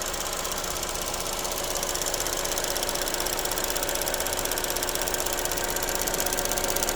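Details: Vauxhall/Opel Corsa E: steady metallic rattle about three beats a second over a quiet idle; engine rattle at idle, source not pinned down.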